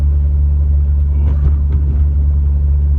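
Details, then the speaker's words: VVTi 1JZ-GTE with shift-kitted high-stall A341 automatic, about 235 rwkw, in an IS200 with standard 7.5-inch open diff and 4-bolt driveshafts: heavy steady rear driveline drone under acceleration, like dry CV joints; owner suspects driveshaft or diff, unconfirmed. "it my mechanical sympathy radar is going off the chart"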